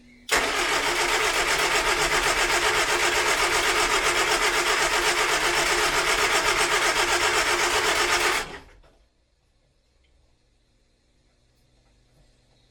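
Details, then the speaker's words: 1970s Austin Allegro project revival: steady starter churn about four beats a second, cranking freely but never catching; contact breakers possibly heard opening but no spark at all, no ignition. "I think I can hear the contact Breakers open there's no spark there at all"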